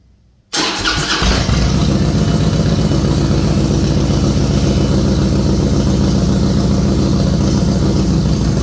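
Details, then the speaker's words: A 2007 Harley-Davidson Softail with a Screamin' Eagle 110 is started during a starting and charging test. The starter churns, then the engine catches into a loud, lumpy idle with heavy clatter at about four beats a second. There is no engine light and it runs great once running. "That sound you hear, if it was timing, this thing has an engine light, just like a car. That bike's carbureted. If you heard this sound, that sound coming out of that bike, you're going to be either looking at timing or a compensator."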